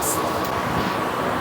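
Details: Electric fan after do-it-yourself repair of a non-spinning fan, run on speed 3: steady even air rush with faint constant hum, no rattles or ticking, fan back to normal operation.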